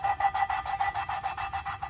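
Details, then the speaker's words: Allis Chalmers B tractor cylinder head rebuild: valve lapped by hand with suction cup and lapping paste on seat, even back-and-forth gritty rasp about six strokes a second, paste cutting normally; normal valve lapping. "So, we get our suction cup on the top of the valve and work away. Obviously, you can hear that grinding sound."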